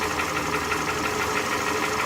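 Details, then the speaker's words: 2007 Toyota Camry idling with a periodic missed beat over a steady hum; swapping the coil moved the misfire, confirming a failed ignition coil, fixed by replacing the cylinder 1 coil. "that's just to confirm that swapping over the coil actually did change where the misfire was happening so this car just needs an ignition coil replace cylinder number one ignition coil"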